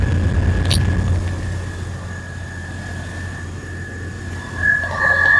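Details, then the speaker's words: 1993 Chevy S10 2WD pickup, 4.3L V6 non-Vortec, automatic, after thermostatic fan clutch replacement: smooth, even idle with faint steady whine and mild fan swell near the end. Normal idle, engine and fan healthy. "probably can't hear the roar right now but I'm going to try to make it Roar and that Roar will go away somewhat it just does that when you first start it"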